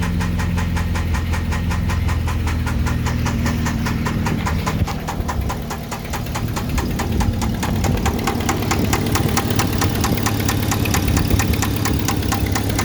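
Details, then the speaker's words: 1995 Jeep Wrangler YJ at idle with oil pressure and level fine, spark plugs and wires checked good: sharp, fast metallic tick about five per second; owner suspects an exhaust leak rather than the rod knock first feared; undiagnosed engine ticking. "I have a 95 Jeep Wrangler I'm currently dealing with what I think is possibly an exhaust leak I originally thought it was a rod knocking but my oil pressure is fine my oil level is fine"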